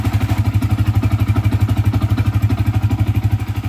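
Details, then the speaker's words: Yamaha FZ single after replacing a burnt magneto coil that caused an engine humming: steady even thumping idle, humming gone; normal idle. "betul tak guys bunyi tadi tu dah hilang bunyi berdengung tu dah hilang dah"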